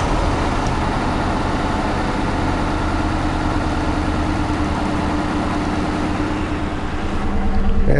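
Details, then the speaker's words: 2006 CVPI, nearly empty fuel tank, cranked again from inside the car: catches and settles into a shaky, irregular idle that smooths somewhat when revved; exhaust smells bad; rough idle, cause unknown. "when i rev it it actually seems to smooth out some it really does but it's got that jittering shake and idle"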